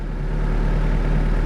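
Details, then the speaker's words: Mitsubishi 4G92 after repair for poor acceleration, no idle and stumbling (coil, plug wires, plugs, airflow parts), cold start 7 am rainy morning; low even stable idle, no hunting or stumbles, expected to drop to about 1000 rpm warm; normal cold idle. "ดูมาดูรอบมันนิ่งนะคะเดี๋ยวร้อนเดี๋ยวเขาก็ตกลงมาเดี๋ยวประมาณพันนึงนะครับ"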